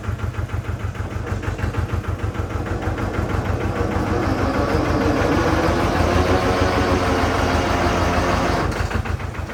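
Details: Amida Benford 32D articulating site dumper, two-cylinder hand-crank Lister diesel, Newage PRM 3-speed gearbox: same gear noise after topping up gearbox fluid; diesel pulses about three per second, rougher metallic growl swelling as revs rise; owner says noise comes from the rear, not engine or front; gear grinding suspected.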